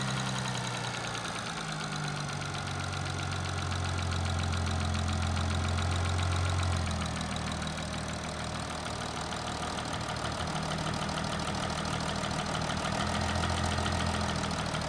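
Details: Audi A8 3.0 TDI diesel (DDV engine), about 30K and 6 years old, idling: deep hum with a light, steady mechanical tapping at the back of one head, injector ruled out; timing chain rattle from faulty tensioner, slack chain, worn sprockets.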